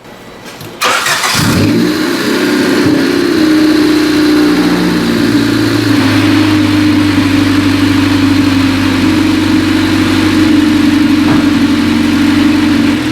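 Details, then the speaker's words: 1995 Honda Civic 1.5L after adjusting the fast idle thermal valve diaphragm under the throttle body and bleeding coolant: running two minutes, steady even idle with no hunting or surging, entering closed loop; fluctuating idle resolved. "Been running now for 2 minutes. So far, so good. Yeah, it sounds like it's going into closed loop."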